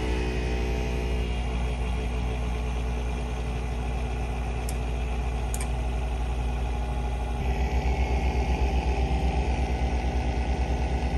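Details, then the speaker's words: Acer Nitro 5 laptop: steady low drone with rough pulsing rumble at idle, getting louder as fan rpm rises and returning when lowered; worn GPU cooling fan, a sure sign for replacement. "two the obvious one would be noise such as this it sounds like a small rumble when the pc is idle as soon as the rpms pick up it starts to get louder and more noticeable"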